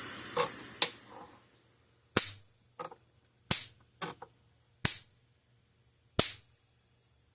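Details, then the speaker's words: Zareba 100 Mile fence energizer retrofitted with new internals: sharp, crisp snaps about every 1.3 seconds, evenly spaced, about 10,000 volts measured across terminals; normal spark discharge. "so we're getting about 10,000 volts out of that thing see it kind of spark it'll throw now as well"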